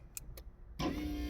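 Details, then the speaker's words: Porsche 996 convertible top, after fitting a known-good roof control unit (ECU) from another car since the original roof ECU was diagnosed faulty: faint clicks then the roof motor hums steadily and smoothly; normal convertible top motor operation. "hear that that's working everything is working like I said my diagnostic is correct"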